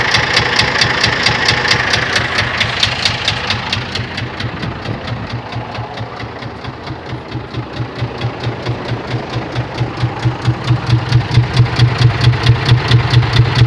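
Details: Scania 124 diesel at idle: sharp, regular metallic knock about two per second, steady throughout; internal engine knock.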